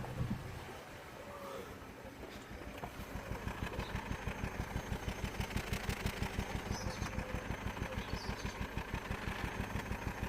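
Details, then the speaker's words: 2008 Vauxhall/Opel Corsa D 1.4 petrol at idle, heard at the exhaust: a regular dull stumble about three times a second, a clear misfire with multiple trouble codes; parts already replaced didn't help, and a common problem on these was diagnosed. "hope you can hear it it's definitely missing and again i think you can actually see here that he's missing quite quite well he's missing quite well"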